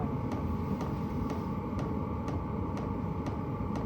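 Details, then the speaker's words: Stock pulsing fuel dosing pump of a diesel heater, running alone: sharp ticks about twice a second, evenly spaced over a low hum; pumping normally but loud enough to disturb campers at night. "and I got to be honest if I was camping anywhere near this one uh I'd be frustrated through the night having to listen to that tick"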